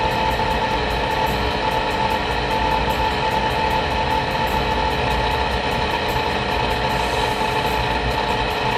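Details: Rheem water heater vent blower motor running for about a minute after startup, growing noisier over recent weeks; loud steady whirring roar with thin high whine on top; worn blower motor bearing, replaced preemptively.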